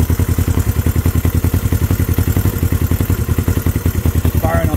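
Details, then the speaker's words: Honda CB350 twin, first start in 13 years, choke off: even lumpy idle about three and a half beats per second on both cylinders, steady loud exhaust pulses; normal idle, points still due replacement. "cylinders right now guys running on both with a choke off this thing idling guys"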